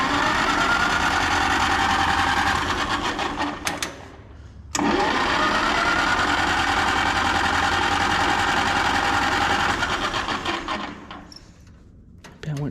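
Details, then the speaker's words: Antique small pony engine being started: even starter churning about three and a half turns a second, twice, never catching; flooded from too much gas. "went too much with the gas. Come on, little pony. Come on. Man. This thing is gonna be fussy."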